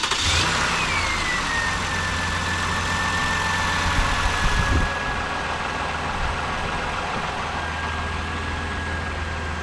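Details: 2012 Toyota Highlander Limited 3.5-liter V6, first start after alternator replacement for a no-charge fault: catches and settles into a steady, even idle; the belt-drive noise heard before is gone, with no squeal, chirp or grinding.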